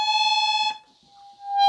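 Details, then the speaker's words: Harmonium reed deliberately made to speak late as a demo, before repair (buzzing is a separate fault): a steady reed note cuts out, then the next note swells in slowly after a pause instead of sounding at once. "ये late play हो रही है, तो इसके कारण मैं आपको गिना देता हूँ।"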